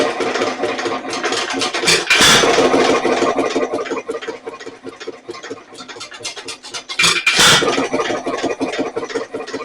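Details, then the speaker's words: Nelson Brothers Little Jumbo 1 1/2 HP hit-and-miss engine, governor with a lot of play (needs a bushing), pulling fuel but skipping fires when it should fire; uneven pops and coasting gaps; finding: erratic firing from worn governor. "It is pulling fuel now. It's like it doesn't fire when it should have fired, and it didn't fire."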